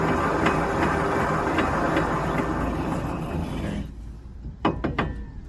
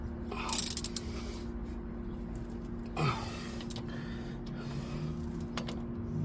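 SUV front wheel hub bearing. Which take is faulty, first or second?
first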